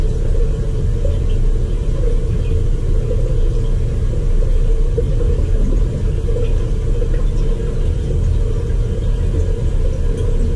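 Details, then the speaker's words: Crown hydronic boiler at start of heating season, no-heat call: after a lot of air purged from the system, burner lights to a steady deep high-fire roar with constant low hum, no surging or popping; normal burner firing. System needs an air scoop, 2 psi. "there it is let's see if it heats up now they're good high fire"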